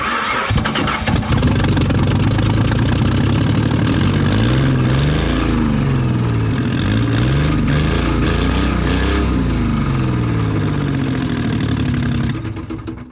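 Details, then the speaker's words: 2002 Ford Mustang V6 whose previous owner blew up the engine, which was clanking before. It catches and revs unevenly with a coarse diesel-like clatter about four beats a second. Rough running from a thrown connecting rod. "well as you guys heard this engine is not running as smooth as it should be it should not be sounding like a Volkswagen TDI Diesel so I don't know what's going on there"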